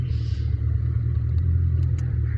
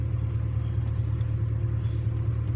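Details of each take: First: 2000 Ford Mustang 4.6 V8, coil-on-plug, misfiring with no codes after a tune-up: heavy, uneven rumble at idle in reverse with the engine shaking; scan-tool misfire tests detect nothing. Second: 2000 Ford Mustang 4.6 coil-on-plug V8 idling with cooling fan on after fixing a no-code misfire that shook at idle and stops, cylinder 3 suspected; steady even rumble, all cylinders firing normally.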